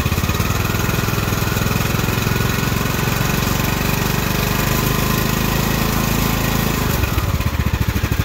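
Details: Craftsman hydrostatic riding mower after the repair (plastic shields removed), listening at the pulleys underneath: an even, steady engine beat with no squeal or grinding that drops off smoothly near the end. The earlier falling-apart noise is gone, and it runs normally.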